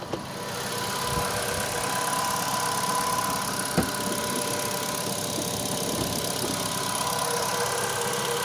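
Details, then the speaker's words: Ravon R3 at 21,456 km, cold start at −8 °C in the morning after cleaning the alternator belt grooves of embedded stones: steady idle with an even hum and only a faint high whistle, no belt squeal. "ну вот я уже все услышал свист и нет"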